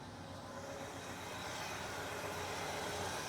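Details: 1972 International 1210 pickup running after a Pertronix ignition install with the original coil wire: smooth, even and building slightly, with a steady quick beat and no misfire. 100% better; normal idle.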